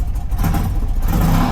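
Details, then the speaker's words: 35-year-old BMW twin motorcycle, recorded on a short test ride after pre-shipping preparation for South America. Short clean blip of revs, deep even note, no tapping or rattle. Sounds much better than before; healthy, normal. "Alles klingt gut. Wunderbar."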